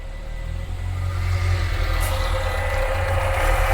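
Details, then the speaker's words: 1980s Renault 9 warming to temperature after new aftermarket radiator and cooling fan install and coolant bleeding, airlock cleared; steady idle then an even airy whoosh as the new electric cooling fan cuts in and runs properly. "Need to let it get up to temperature now, and hopefully we'll see that fan cutting, which is what we've been trying to achieve all morning."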